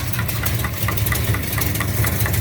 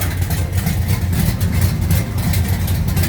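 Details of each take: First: 1969 Charger V8 at idle: sharp even tick about five a second in time with the cam; rocker hitting the valve cover, felt possibly at cylinder 3, later found to be a backed-off rocker jam nut giving excess lash. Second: 1969 Charger V8 back together after chasing a noise traced to cylinder number 7, with the pushrod checked straight: a deep, lumpy idle with a steady loping beat and no ticking; the engine sounds healthy.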